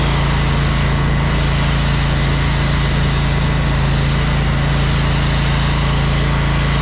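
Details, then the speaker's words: Small electric-start engine on a jetter trailer, started on choke, runs smoothly with a steady low drone and an even tone, no knocks or misses. Normal running. "Thing sounds good, man."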